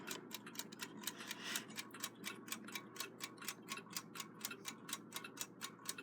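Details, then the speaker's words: Rebuilt Westclox Big Ben Loud Alarm style 5A movement, just wound and cased up; crisp, loud, even ticks about two per second, steady and strong in a quiet room, running well. "just wound this thing you can hear it sticking very aggressively and that thing is on fire it's running real nice"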